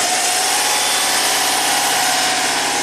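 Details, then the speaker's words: 2005 Subaru Legacy Turbo, 82,000 miles, that barely runs with the alternator connected; idling with the alternator unhooked: steady, even idle, no stumbles, misses or surging; runs smoothly. "okay sounds just normal sounds fine"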